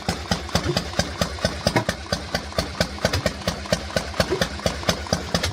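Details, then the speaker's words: Harley-Davidson Panhead started cold after fuel priming: slow, loping potato-potato beat about two pulses a second, idle dropping a touch low; expected to sort itself out once it warms up. "a little bit low when it warms up a bit it will sort itself out just takes a little bit of warming"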